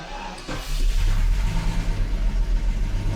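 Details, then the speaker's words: 1988 Jaguar XJS V12 cold start in winter; it quits after about 15 minutes with no spark: brief crank, then a lumpy uneven cold idle not firing on all 12, blamed on bad plugs from a year of short runs; improves as it warms. "it doesn't run all 12 but that's really cuz it's only run like 15 minutes at a time for the past year so the plugs are pretty bad on it it gets better after a while"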